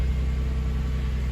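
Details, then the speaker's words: Car after starter motor replacement that had caused a no-crank, no-click condition: starts and settles to a low, steady, even idle hum with no misses, knocks or starter noise. Normal idle. "and there she is oh she sounds pretty"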